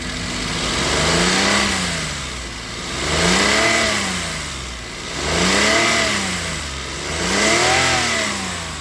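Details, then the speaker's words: Maruti Suzuki Alto 800 after engine repair of knocking connecting rod, coolant and oil topped up, after test drive: smooth even revving rising and falling about every two seconds, no knocking or tapping; engine now silent and healthy. "ठीक है एकदम silent है"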